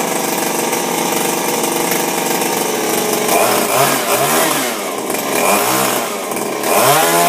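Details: Refurbished Shindaiwa power broom two-stroke with new carburetor, gaskets and recoil, no air filter fitted: revs up and down cleanly with crisp buzzing note, no misfires or bogging; normal running.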